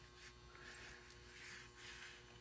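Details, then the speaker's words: Prewar Marx Commodore Vanderbilt toy locomotive after restoration, powered through a pickup with ground on the frame: a steady electrical buzz with no running because the E-unit (reversing unit) was not properly working, so the motor stalls. "okay so I ran on to a problem with this particular one the E eunit wasn't properly working as you can hear it's just buzzing"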